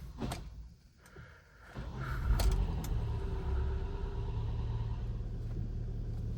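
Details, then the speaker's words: 2012 Hyundai ix35 G4KD, AWD automatic, 202,000 km, first start after full engine rebuild (block sleeved, threaded oil jets) following piston scuffing knock: quick crank, oil pressure up, steady quiet idle with no knock or ticking; normal start and idle. "Так, машинка заработала, давление пошло, всё хорошо, всё тихо."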